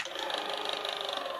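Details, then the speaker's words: Technics cassette deck after repair, eject mechanism operating: thin even mechanical buzz through the eject motion; still not quiet but much less than when first tested. "I mean, it's not the quietest mechanism anymore. Not like this one. That one's much quieter, but"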